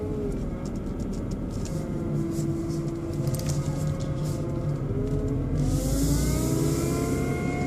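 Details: BMW 120i E87 running: motor-like whine whose pitch climbs with revs, seemingly from behind the airbox; oil change did not cure it, cause unknown.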